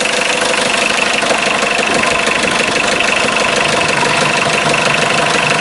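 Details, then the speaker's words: 1984 Mitsubishi Mighty Max 4x4 turbo diesel mini truck, 5-speed manual, just started after a short glow: steady diesel clatter idling smoothly about three beats a second, no odd knocks; slight blow-by. "does have a little bit of blow by, not a lot."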